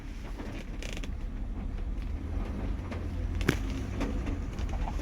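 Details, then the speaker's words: 1978 Mercury Marquis Brougham with a 400 engine, newly running on a new fuel pump, rolling slowly: low rumble with loose, irregular knocks and creaks from the trunk or rear quarter panel; unidentified rattle while driving, possibly loose items dragging. "something making a hell of a racket in the trunk hell I don't know I can't figure out what that ises"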